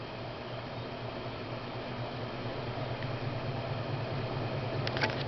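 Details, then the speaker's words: 1990 SMC Laguna 36" ceiling fan after cleaning and oiling, two blades badly warped: a steady low motor hum with a faint pulsing wobble about twice a second; the fan shakes and needs balancing. "yeah it's quite powerful it shakes a little bit so it needs to be balanced but turn it on to medium and of course low and off"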